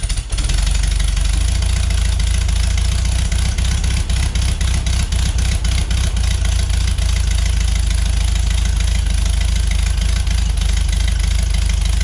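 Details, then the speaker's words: 1973 VW Beetle flat-four, new remanufactured Bosch 034 distributor, timing about 8 degrees at idle: steady throaty run, clean pickup, no knock or miss. "Distributor's holding 30 degrees right at 3,500 RPM, all in on just a centrifugal advance. So that is perfect for spec."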